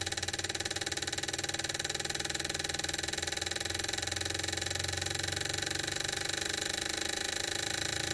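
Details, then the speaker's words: Gasoline fuel injectors on a Mr Cartool tester, four at a time, running the sweep test from 750 to 7,500 RPM: rapid even clicking starts slow and speeds up steadily with no skips or stumbles, none sticking or hanging; normal, healthy injector pulsing. "So it'll just start off with a slow pulse like that, and then it'll sweep it all the way up. So if you had a sticking or hanging injector, it would show up in here. These ones are looking pretty good, and as you can hear, it's slowly speeding itself up."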